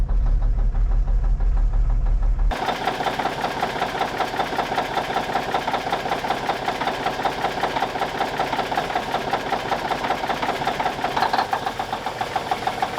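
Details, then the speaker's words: 1989 Kenworth K100E with a Cummins Big CAM IV diesel, just after a cold start at -6 °C: steady, even clatter at two to three beats a second, a little smoky but idling fine while warming up. "Good old Big CAM IV. She's rolling, baby. A little smoky, but she's rolling."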